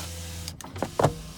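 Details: 2004 Ford E-250 van, 4.6-liter engine, 231,328 miles, no-start on a jump box: a steady low window motor hum runs, then stops with a soft clunk at end of travel; power window working normally.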